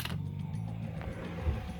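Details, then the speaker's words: Boat with 454 Crusader engines: a spare bilge pump, loosely wired for a test run in place of a sludge-fouled float-switch pump, gives a steady low motor hum with a gurgling, creaky churn. It is pumping liquid out of the mid bilge normally. "hear that that's the sound of stuff being pumped out of the mid bilge which is awesome"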